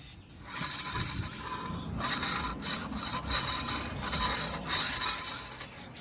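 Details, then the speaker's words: Chevy 4.3 Blazer A/C compressor, removed for A/C delete, turned by hand: dry raspy grinding in uneven surges, its bearings going out. "It's a good thing I did, because this thing, bearings are going out of it. You hear that?"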